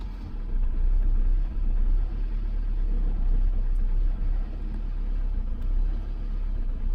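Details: 2006 Toyota Camry at idle: low, heavy rumble with uneven dips and stumbles every couple of seconds, misfire occurring only at low rpm; cause unknown.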